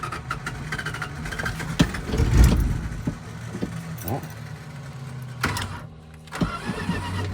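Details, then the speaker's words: 1983 Dodge D150 Prospector, 318 V8, parked about 25 years, first revival run: low, even idle settling after a few nearby bumps and clatters, with no knocks or misses and a compressor in the background. Normal idle. "Something that hasn't ran in 20 years or whatever. She sure purrs like a kitten."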